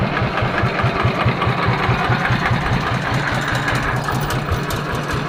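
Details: Yanmar TF115 LM single-cylinder diesel after repair for hard starting (pump plunger and pump parts replaced; inner bearings not done): steady firm idle thump about two and a half beats a second; idles normally with good pressure.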